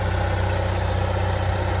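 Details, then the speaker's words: Onan generator in a Barth motor home balanced at 120 V after carburetor adjustments, both ACs on full blast and the inverter on. A steady low drone with a smooth regular pulse and no misses or knocks: healthy, normal running under full load. "really smooth now you know they're loud like they're supposed to be"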